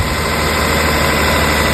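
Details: Steady, even idle with a smooth low hum and no knocks, misses or surging on a 2002 Toyota Camry 3.0L V6 1MZ-FE right after starter replacement; battery was disconnected, so the computer may still be adjusting idle; normal idle.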